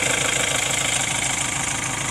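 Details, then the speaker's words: 2.2 L Ford Transit diesel at idle after replacing the fuel metering valve on the high-pressure fuel pump. It idles at an even speed with a steady clatter, no longer hunting up and down in revs as it did at idle before. Fuel rail signal now steady at about 1.3 V. "glad it's running better it's not hunting up and down in the revs it was only doing that yesterday uh at idle it didn't do it when you were driving"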